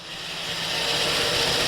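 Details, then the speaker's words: 2005 Chevy Silverado 5.3 with over 400,000 miles, first startup after a top-end rebuild with new timing chain, camshaft, cam bearings, lifters and valve seals: oil pressure present, busy rapid rocker clatter while lifters pump up, earlier squeak gone. "now we got a bunch of rocker noise, but it should change as everything gets pumped up. Good news is we had no squeak."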